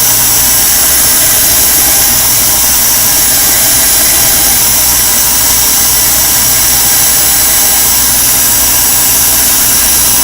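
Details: Homemade security-pin lathe from an old 14V cordless drill motor on a 13V-something supply, at max speed while filing a pin: constant high whine with hissy file scrape, speed holding steady; normal running under load.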